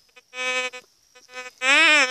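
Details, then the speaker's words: White's GMT gold metal detector, already tuned, giving a reedy nasal buzz in uneven bursts that never goes quiet without a target; lowering gain and volume is suggested. "Esse nunca fica quieto, olha, sempre com esse barulhinho."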